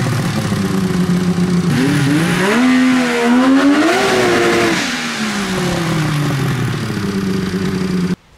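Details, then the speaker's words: Polaris XLT 600 two-stroke snowmobile engine in a Mini Baja Bug, after fixes to earlier engine problems: crisp buzz climbing cleanly through blips and settling back, pulling evenly with no misfire. Normal running. "just wanted to see how well it's running now that I did those changes, and it's running pretty good."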